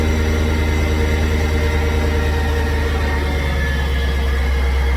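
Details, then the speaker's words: After the ticking repair, the car settles into a deep, steady rumble with an even beat and no ticking. The noise is fixed and the idle is nice. Normal idle. "the car is running perfect right now there's no hesitation no ticking other than you know the normal kicks that the type of car has come down here no noise so that is now fixed so you come back here has a nice idle"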